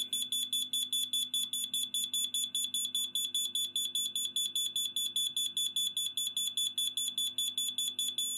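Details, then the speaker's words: Kidde smoke alarm sounder test, finger held over the sounder: rapid, even, shrill beeps about four or five a second, slightly muffled throughout; the sounder is working as it should. "The sounder is of course loud. I'll put my finger on the sounder. This is what it sounds like."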